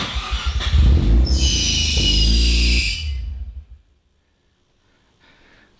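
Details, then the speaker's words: Mazda FD RX-7 first start after sitting about three months during an interior restoration; it catches with a loud piercing squeal for about two seconds, then stops. A seized air/AC pump caused the squeal and was unplugged to run. "that sounds like a belt squeal all right that sounded like possibly a bad belt or something that was sitting here so let me check on that for a second a few moments later so I found the problem and it was just the air conditioning pump"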